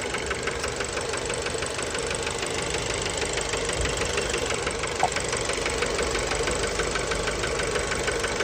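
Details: Fiat Bravo 2, 1.4 T-Jet 150 HP, 215,000 km, recently serviced, recorded close to the engine at idle: a sharp metallic knock about three per second, keeping time with the engine. Worn rod bearing; cause unknown, car scrapped.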